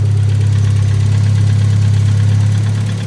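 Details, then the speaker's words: Nissan Figaro after an exhaust manifold change: deep, loud droning idle with a puffing throb and no mechanical knock; exhaust blowing somewhere at the centre silencer box. "a blow somewhere in the centre box, but it's alive. Rightio,"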